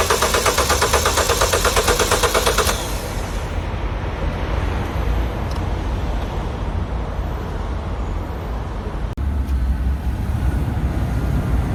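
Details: Citroën DS3 cold start, which fails when cold but starts fine in warmer weather: quick rhythmic starter churn for a few seconds, never fires; owner suspects coolant temperature sensor or another sensor, unconfirmed; detaching Valvetronic helped a little.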